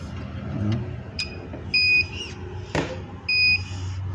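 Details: CCTV DVR with no display: high-pitched beeps repeat about every 1.5 s, a continuous alarm caused by a poorly connected hard drive.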